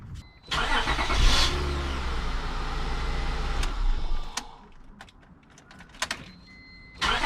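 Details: 2001 Acura MDX started after starter replacement: brief crank with the new starter spinning freely, then the engine catches right away and runs smoothly; a clean, normal start.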